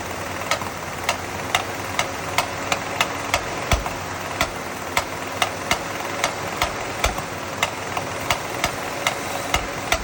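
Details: 1977 Dodge Ramcharger 360 V8 at idle: loud, sharp knock repeating about two to three times a second over a steady idle, cause unknown.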